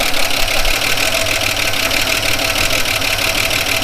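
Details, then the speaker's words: 1979 Holden HZ One Tonner ute, parked outside for years, first start: fast, even ticking over a rough idle in time with the engine, with even compression and oil pressure; the rockers may need adjusting. "It may need its rockers just maybe a week's innovate, which are easy to do."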